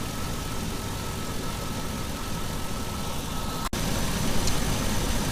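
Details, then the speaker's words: 2003 truck at idle while charging AC with R134a: faint steady compressor whine cutting off with a clunk, clutch cycling very fast because refrigerant is still too low. AC compressor short cycling from low refrigerant. "So it definitely, you can hear how the compressor is cycling like really fast like that. But basically what that means is it doesn't have enough Freon, or you know, R134A to actually"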